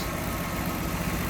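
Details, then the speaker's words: 1966 Ford Mustang convertible idling with hood open, recently fitted new exhaust manifold, tank, sending unit, brakes and rebuilt carb; steady, even low burble with regular firing and no knocks or misses, "purrs like a Swiss watch"; normal idle. "Sounds good too. Purrs like a Swiss watch, they say."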